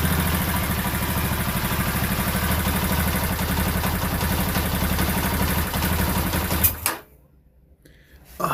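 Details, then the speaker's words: Lexmoto Isca 125 single-cylinder, restart after clearing ECU codes (no fault codes): runs steadily for a few seconds, then abruptly cuts out and dies. Stalling, likely from fuel starvation. "so let's start back up oh she didn't want to go doesn't want to run"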